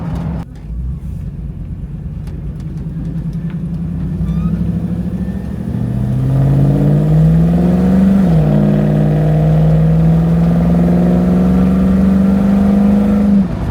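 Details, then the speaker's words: 1984 square body with LS swap, coolant around 195: under throttle (99.97% per OBD2 app) the engine note climbs, then stumbles and lays over about halfway through before recovering; cause unknown, to be logged on laptop. "I don't know how well the audio was on that but you could actually hear it lay over halfway through"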